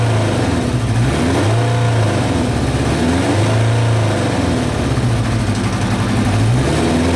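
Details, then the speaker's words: Kawasaki Eliminator ZL 600 inline four, revived after sitting for years with fresh petrol, new plugs, clean carbs, new battery and air filter but old oil, catches on choke and settles into a steady, even run with gentle blips; normal running. "right guys good news I'm not gonna run for much longer because the oil over there needs changing badly but the bike is running it's running and this is why I love old-school Japanese bikes"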